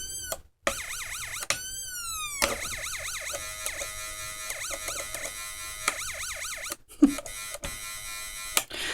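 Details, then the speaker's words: Sho-Me 100 watt 12 V siren amplifier bench-tested on a battery before its wiring harness repair: rising and falling wail and yelp tones sweep cleanly, driven by its internal coil, so the amplifier works. "I mean, it does work. Now, there's a coil in here that's making it do that, and it's working off of that little bitty batteries."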